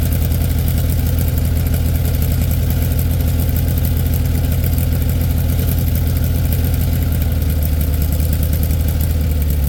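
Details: 1967 VW Beetle air-cooled flat-four idling just after a cold start in about 8°F, battery a little low: deep, even low thrum, no misses or knocks; healthy normal cold idle, possible generator problem noted.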